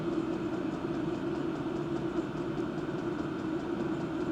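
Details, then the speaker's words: Diesel parking heater with an aftermarket exhaust silencer simply pushed on: 77–79 dB at 20 cm without it, 66–69 dB with it. Steady low hum with a soft, even rumble, no rattles or surging; normal running. "So, ihr seht, ich habe den Schalldämpfer einfach nur drauf gesteckt und das Erlebnis war enorm. Dran drauf, den Unterschied hat man schon deutlich gehört."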